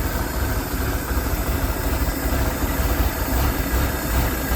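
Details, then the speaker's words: Abandoned ski boat engine revived after years sitting, original carburetor with only the idle screw set, smoking: steady low rumbling idle holding speed without misses; running normally, manifold leak noticed afterwards. "Heck yeah. Old carburetor worked out. I didn't do anything to it except set that little screw right there."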